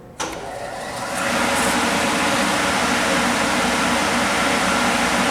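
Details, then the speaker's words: Kellenberger 1000U universal cylindrical grinder, 480 V, main wheel spindle run alone before lube oil brought up: spins up within a second to a steady, even whirring hum, no knocks or roughness; normal running, coasting down after. "Not bad. Yeah, it looks good, it sounds nice. We'll let this coast down, I'll bring the oil up."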